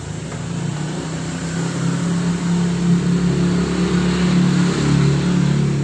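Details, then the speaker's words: Honda Vario 125 (old model) on kick-start after removing the ACG starter magnet rotor: low, even churning with no squeak. The squeak came from the right-side magnet, likely dirt or dust causing rubbing; the ACG starter itself still needs repair. "Nah, sekarang untuk bunyi dejitnya sudah enggak ada, Teman-teman, ya. itu kemungkinan bunyi itu dari magnet yang kotor atau debu."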